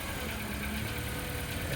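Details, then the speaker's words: 2016 Nissan Sentra at police auction lot seven, jump-started from a jump box: steady, even low idle rumble with no knocks or misses; started right up and sounds really good. "Started right up with a jump. Actually sounded really good."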